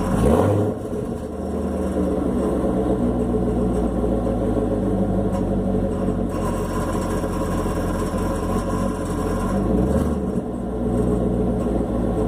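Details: Chevrolet Camaro SS V8 idling with a couple of throttle blips, loose uneven rattle over the idle; exhaust valve showed no vibration when touched, owner guesses the AFM valve, cause unconfirmed.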